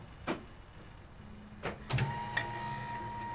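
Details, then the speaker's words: 1957 Chevy, new fuel setup before first start; faint steady low hum for about two seconds then stops, electric fuel pump priming; owner suspects it may be pulling air, unconfirmed. "fuel pump's on that's always a good sign just let it cycle a few times yeah"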